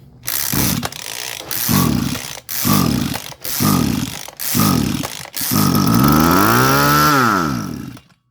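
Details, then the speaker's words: Small engine on a high-pressure water/fertilizer sprayer with a float-type carburetor that won't rev and dies. With fuel sprayed in it fires briefly, revs and dies, so spark and compression are good; fuel starvation traced to a clogged carburetor needing its jet cleaned. "เครื่องปิดนะครับแสดงว่าไฟมีนะครับนี่คือการเช็คไฟไปในตัวนะครับไฟมีนะครับแรงอัดได้นะครับ"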